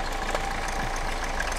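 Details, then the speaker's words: 2013 Hyundai Avante MD CRDi 16-valve diesel, about 170,000 km, idling with hood open: steady chirpy rubbing chatter over clatter; badly cracked accessory belt, belt or pulley bearing suspected, not confirmed. "겉벨트 소음이 많이 나는데 앞에 벨트하고 베어링 쪽에 소음이 많이 나니까 부품 탈거하면서 확인하고 교체할 거 교체해주고 해야 돼."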